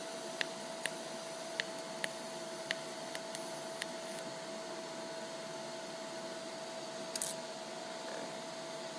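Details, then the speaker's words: Lincoln Electric Aspect 230 AC/DC water-cooled TIG welder, stainless steel, pulse frequency about 0.9: even arc hum broken by crisp pops roughly every half second to second; normal low-frequency pulse popping. "So you can hear the pulsing. It makes kind of a popping sound at this lower frequency."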